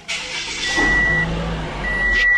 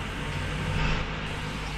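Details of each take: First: 2014 Toyota Camry after a learning value reset fixed P2111, throttle actuator stuck. A quiet, steady idle at 650–700 rpm with no hunting and a few electronic beeps; normal idle. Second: 2014 Toyota Camry with code P2111, throttle actuator stuck, after the codes were cleared. A steady fast idle around 1200+ rpm that won't rev or respond to the pedal; the learning value reset was not yet done.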